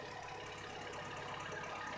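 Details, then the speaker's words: Honda Civic D16 idling just after a DNA Motoring header replaced a badly cracked exhaust manifold, with the O2 sensor connected and the stock exhaust: an even, steady idle with no ticking or puffing; the exhaust leak is gone. "Looks good. No more exhaust leaks so far."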